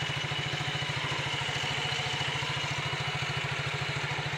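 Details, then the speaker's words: Yamaha Mio GT scooter, after the gap between the bushing and the roller housing was shimmed with a zinc plate to stop play: even idle putter of about three and a half beats a second with the CVT rattle gone. "Nyalakan kejadian jadi seorang rasanya sudah hilang sudah tidak terdengar"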